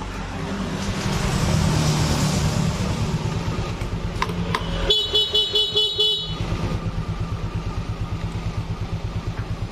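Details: Yamaha FreeGo scooter after clearing SGCU fault codes with check engine light gone: starter whirs briefly, engine catches at once and settles into a steady even idle; normal start and idle.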